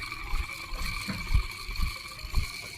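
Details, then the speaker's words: Harsh, grating whine with a rough rumbling (呼噜) underneath at idle from the alternator; belt and tensioner were already replaced without fixing it. The alternator's internal bearings are worn, and replacing the bearing pair fixes it. "听一下这个声音呢，非常的刺耳，而且还有呼噜呼噜的异响声。这种异响声直接被锁定为发电机异响。"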